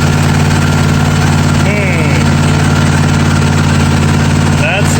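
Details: John Deere D155 lawn tractor, single-cylinder, brought in for intermittent no-crank no-start after sitting two weeks, fires right up in the shop: steady even putter, no stumbling or knocks; normal idle, fault not replicated.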